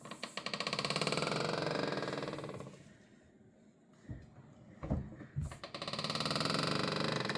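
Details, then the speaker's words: simplehuman pedal trash can, about a year old, makes a loud rapid rasping squeak on each lid stroke with soft clunks between passes; squeak seems to come from the pedal and lid mechanism. "This is my second Simple Human trash can. After a year owning each one, they both make this obnoxious squeak sound."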